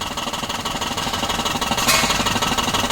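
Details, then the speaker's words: Car idling with clutch pedal pressed: rough croaking, frog-like chatter about three pulses a second that vanishes when the clutch is released; worn clutch release bearing, requiring transmission removal and bearing replacement. "nah tuh suaranya ya kalau kopling ditekan ada suara kayak kodok di dalam"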